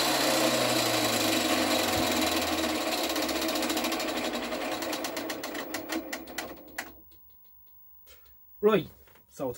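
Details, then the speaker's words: Freeplay clockwork radio being cranked up: a fast, loud whirring that slowly falls in pitch and dies away as the spring unwinds unchecked, because the drive belt to the dynamo has come off and is loose inside. "i want you to listen to the noise this thing makes because it sounds like a 707 taking off"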